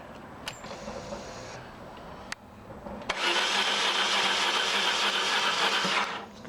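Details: 1995 BMW R1100RSL boxer twin, unstarted for over a year, with a battery installed and plugs reinstalled at 20 Nm: after a couple of clicks the starter whirs steadily at three to four beats a second for three seconds and the engine never catches.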